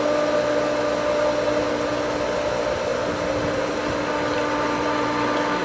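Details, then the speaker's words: Pool pump on opening, with skimmer valves being cracked open after winterization left air in the lines: steady motor whine with a rough hissing churn as air passes the valve; the pump is air-locked and regaining prime. "I can hear the air coming through this valve and there's still air in the pump"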